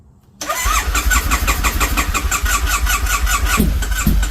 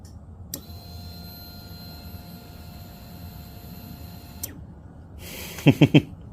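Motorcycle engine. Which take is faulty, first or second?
first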